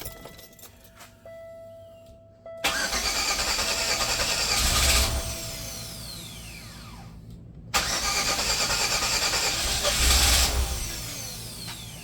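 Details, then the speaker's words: 1997 Chevy Venture after sitting for years, powered by a boost jump pack, old gas in tank: two long cranking bursts with a strong, even whirr and regular compression beat; starter sounds good but engine won't fire. "But the starter sounds good. The engine sounds good."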